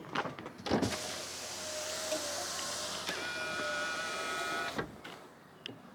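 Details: 2003 BMW E46 Clubsport: window motor whirs steadily about four seconds with a thin, strained, uneven whine, an issue that needs addressing; a sticking or worn regulator is suspected, not confirmed; faulty power window operation.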